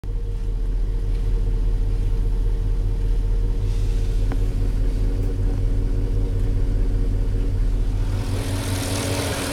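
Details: 2004 Porsche Cayenne S 4.5 V8, about 50k miles, well maintained, about 3 minutes after cold start: steady idle with a light, quick, fairly even tick over the rumble; owner thinks it is normal, not scored cylinders or piston slap; cause unconfirmed.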